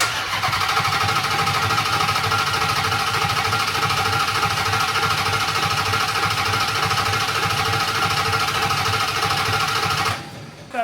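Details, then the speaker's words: Dodge Hellcat Magnum engine, sat about 6 months, cranked with fuel pump unplugged to prime oil and dry oil cooler: steady starter beat about three pulses a second with hard knocking edge; sounded like rod knock, not present before, unconfirmed. "noise was it kind of sounded like a rod knock it didn't rod knock before"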